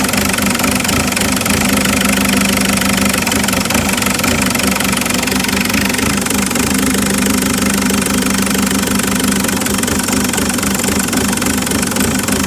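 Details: Isuzu 4JX1 diesel idling, checked with Tech2 live data; loud clatter with an uneven lumpy beat about four per second that never settles. Rough idle.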